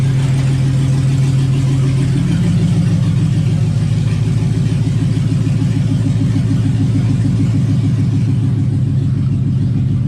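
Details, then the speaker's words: LS Camaro: a steady drivetrain drone with a clean pitch step as the automatic upshifts on its own into second and third. Shifting is normal after the rear speed sensor fault was fixed. "i don't know if you could hear it but actually just went in shifted on its own and drive into second and in the third"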